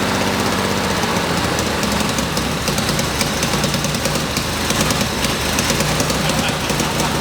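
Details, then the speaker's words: 1977 Porsche 911S Targa barn find, not run in about 7 years, just started after a timing correction: steady idle with a slightly uneven, lumpy beat as it warms up, not yet at operating temperature; running, still slightly rough. "Okay, so we got the car running. It started warming up."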